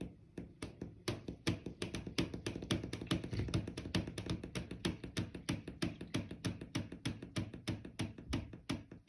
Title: Loud popping, knocking noise coming from inside my bedroom wall. Apartment w/upstairs neighbor. HELP